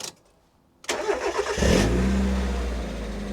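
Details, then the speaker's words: Fire-damaged Mk1 Mazda MX-5, rewired after a harness fire and misfiring on cylinders 1 and 4, after swapping the ECU and immobiliser parts: starter whirr, then a smooth, even idle with no misfire; fixed. "now that sounds better that is a smoother engine sounds loads better that's loads better"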